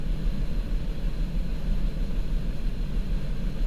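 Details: 2004 Mazda 6 3.0L V6 with codes P0304 and P2227; low idle with uneven, stumbling beat about three times a second; cylinder 4 misfire.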